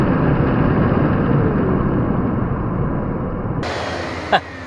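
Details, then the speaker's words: Dyson DC41 Animal curb-find vacuum, powered brush roll test: loud rough roar with heavy low rumble and uneven rattle ending in a sharp knock; brush roll parts spin independently, broken brushroll gear suspected. "they they kind of spin independently i'm not so sure that's a good thing i wonder if something's broken"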